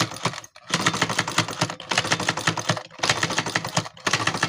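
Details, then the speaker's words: Sewing machine, already oiled everywhere, still clatters with a hard fast "tas tas" knock on every stitch, from loose nuts on its internal linkage. "দেখেন কি পরিমাণ টাস টাস করে শব্দ হচ্ছে।"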